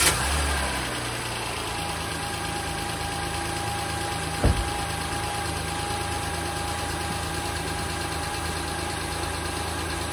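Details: 2015 Honda Pilot 3.5L i-VTEC at a smooth, even idle after an engine noise fix involving the harmonic balancer, front cover and timing belt and tensioner; steady low hum with no ticking or knocking, engine sounds healthy.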